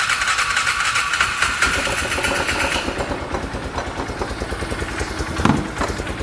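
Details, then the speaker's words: Polaris Ranger side-by-side after drying water from intake, air filter saturated; steady, slightly uneven idle with soft chuffing exhaust, no knocks or misses, idling to dry out and reach operating temperature; normal idle, running great. "I'm just going to let this thing sit here and idle for a few minutes make sure to see if there's anything that like wet let it dry itself out let the engine actually get to operating temperature"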